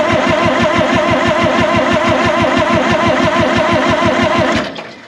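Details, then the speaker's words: 1960 John Deere 440 backhoe, supercharged two-stroke Detroit 2-53 diesel, sat for years and was seized; new fuel-water separator filled with ATF to bleed fuel. Cranks about three even beats a second for five seconds, never fires: no start. "so what i've got here is this filter slam full of atf let's see if we can turn it over and get some bleeding going on"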